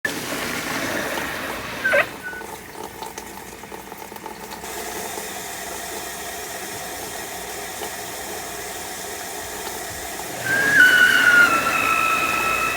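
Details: Squealing/screeching from a new Saniflo Saniswift pump, used since installation on 20 April for about 3 washing loads a week; water rushes through while a thin, high squeal wavers in and out, loudest near the end.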